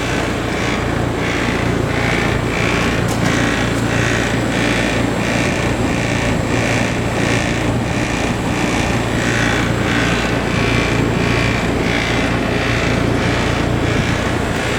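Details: Trane XL15i AC condenser, installed fall 2013 with XV80 furnace: steady fan roar with a faint, uneven pulsing rattle about every second; something loose, cause unknown.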